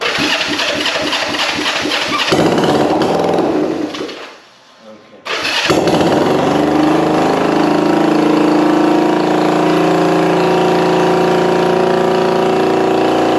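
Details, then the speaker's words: Vintage motorcycle first start on electric starter, points not yet cleaned, probably original coils: quick even cranking pulses, brief stumble and cut-out, then catches and settles into steady, even run; "that's a runner", healthy first start. "I don't know about you guys, but that's a runner. That just made lots of noise with haven't even cleaned these points yet."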